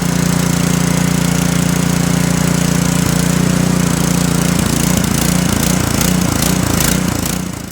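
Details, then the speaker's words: Sno-Tek snowblower with a Kohler-style carburetor: idles steadily, then its pitch rises and falls unevenly. This lean idle surge comes from a gunked-up plastic slow idle jet, and it persisted after cleaning; the fix is drilling the jet slightly larger. "Your engine will surge on idle, and you'll find that you'll have to turn your choke on slightly to get your engine to run normal."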